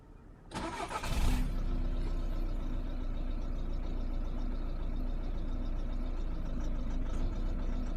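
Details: 2010 VW Golf 1.6 TDI DSG on cold start: diesel cranks, catches and settles into a low, slightly uneven clatter at idle; rough cold idle, cause unknown.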